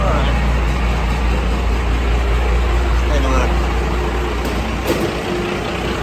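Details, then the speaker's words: Dodge 2nd-gen Cummins diesel truck at cold idle right after a new serpentine belt tensioner was fitted (the old one threw the belt off the AC compressor by one rib). Steady, loud, even diesel clatter with no belt slap or chirp. Sounds healthy. "So our belt is on, we're good. You can hear the engine idling up now. cold, obviously, but I think we're good to go."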